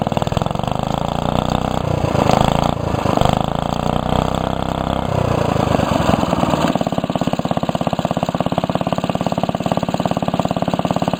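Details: Restored 1945 Briggs & Stratton Model WMB single-cylinder engine with a rope starter, run after repainting; even, steady putt-putt with speed settling after a few seconds, no misses or knocks; normal running.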